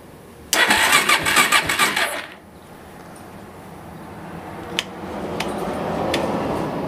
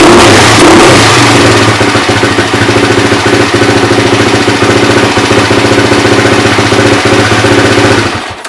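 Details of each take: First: Suzuki LT-R 450 ATV: about a second and a half of fast chattering cranking, then silence, no fire; intermittent spark, battery not charged, owner suspects fried CDI since only one spark occurs. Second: Suzuki LT-R 450 quad after replacing a suspected fried CDI that gave intermittent, single-spark ignition: the single cylinder thumps crisply and revs cleanly for eight seconds before shutting off; ignition fires steadily and the engine runs healthy.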